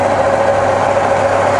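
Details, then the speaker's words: Rebuilt Bridgeport mill on 240V single phase, head in high range at about 800 rpm, quill power feed engaged and feeding down: steady even hum with clear mid-pitched gear whine, no knocks or grinding; normal quill feed. "you see the handle feeding down now so for every spindle speed you got three different feed rates"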